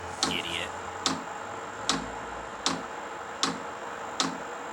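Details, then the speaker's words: Cheap Chinese 12 V diesel heater, first start in a shed: sharp even ticks a bit over once a second from the dosing fuel pump priming, with a fairly loud buzzing from the heater unit; normal priming. "only thing is that's making quite loud buzzing noise can't hear the fuel pump taken so oh there we [Music] go"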